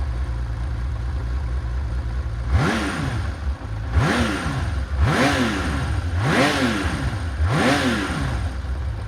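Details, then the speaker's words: Honda CBX1000, high-mileage engine: lumpy idle blipping about every second and a half with a light clutch knock underneath; this much clutch knock is typical for these bikes, rotors may be out of balance. "you'll hear a little bit of clutch knock on this this one sounds it probably sounds worse on the video but this is about as good as they ever sound"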